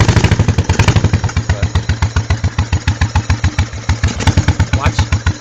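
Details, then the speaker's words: 1986 Honda Shadow 1100 V-twin with high mileage idles lumpy and uneven with irregular chuffs, the rear cylinder misfiring and puffing back through the carburetor; cause unknown. "I'm all thumbs today the rear cylinder misfires in a weird way I'm I don't know what's wrong with it let's see if I can't get the thing to run it starts up real"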